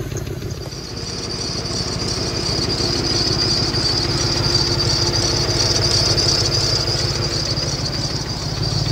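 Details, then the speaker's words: Worn 2004 Ford Mustang GT cruising on a mountain road trip after a coolant reservoir crack repair: a steady knock ticks under engine drone and road noise; suspected rod knock, still persistent. "road can really hear the knock in here"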